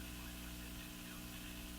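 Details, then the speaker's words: Crosley Model F-5 radio after tube replacement: constant low mains hum through the audio; suspected power-supply hum from insufficient filtering, possibly defective filter capacitors, not confirmed. "So let's go on the basis that yeah it's a power supply hum. The insufficient filtering in the power supply is resulting in a hum just cast through the whole radio."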